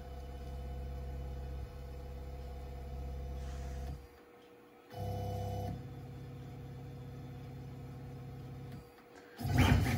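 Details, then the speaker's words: Onefinity CNC running a probe XYZ sequence with a quarter-inch bit: stepper motors hum in short moves, probing Z first, then X, then Y, pausing between axes with smooth tones and no grinding; normal probing sequence. "so we'll go ahead and hit set and it's going to come down and it's going to probe for zero first little probe for x"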